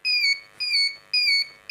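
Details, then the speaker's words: Inverter being tested after its PCB wiring was completed: on connecting the battery, the buzzer gives four even, clean high-pitched beeps and the unit switches on. Normal power-on beep. "तो यहां पर आप देख सकते हैं beep की आवाज आ रही है आपको सुनाई दे रहा होगा अब देखिए ये ऑन हो चुका है"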